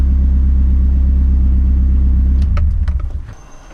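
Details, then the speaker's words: Nissan 200SX (S-chassis) with a ball-bearing turbo, just after the engine is switched off. The rumble cuts out, then a faint high whistle lingers as the compressor wheel keeps spinning, which is normal for a ball-bearing turbo. "if you have a ball bearing turbo after you switch your car off you will hear the compressor wheel in the turbo still spinning"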